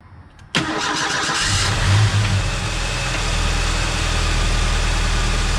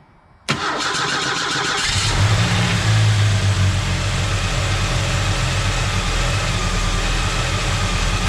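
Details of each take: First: Ford Mustang SVO after changing NGK TR-5 to TR-6 spark plugs to fix a misfire: cranks, catches quickly, settles into a steady even idle, way smoother than before. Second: SVO four-cylinder, NGK TR-5 plugs before change to TR-6, cranks and settles into rough, lopsided idle: misfire, not firing on all 4 cylinders, smell of unburnt fuel, appeared while running with factory manifold.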